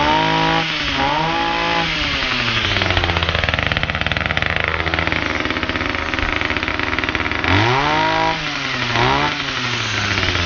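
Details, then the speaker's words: Titan combi multi-tool two-stroke with a new cheap carburettor: revs up and drops back, then settles to a fast buzzy idle with the blades still turning. Idle set too high; fix is backing off the idle screw or cable slightly. "it wants a little bit of a tune just on me tick over on me idle just want screw backing off ever so slightly cuz the blades are still running when you leave it idling and it shouldn't do."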